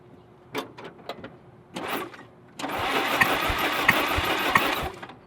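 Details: 1948 Willys Jeep flathead engine, died after 1,300 miles: starter spins engine steadily about two seconds without firing during compression test; cylinder number 4 gives no reading, head to be pulled.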